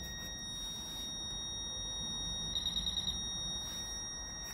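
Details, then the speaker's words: Fisher F-Pulse pinpointer air test with no obstacle between coin and probe: quick, evenly spaced high beeps while the probe is still well short of the coin; at this distance it cannot locate the object, giving a wide, imprecise contact field. "Donc ça c'est le champ de contact que nous avons avec le F-Pulse, sachant qu'il a été positionné ici. Donc c'est-à-dire qu'en fait le F-Pulse, à cette distance-là, eh bien, en fait finalement il ne sait pas où se trouve l'objet."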